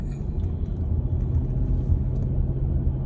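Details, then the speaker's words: 2000 Cadillac DeVille six-door limousine, driving around the block on a chilly 51°F day with the temperature gauge at two bars: even, deep rumble under light throttle with no misses, knocks or rattles; smooth acceleration with plenty of power, normal. "You can hear the engine's got smooth acceleration, plenty of power."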